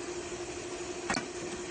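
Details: Hayward pool pump after capacitor replacement (it previously only buzzed and would not start): quiet, steady mid-pitched motor hum with no groaning or stalling; pump running normally.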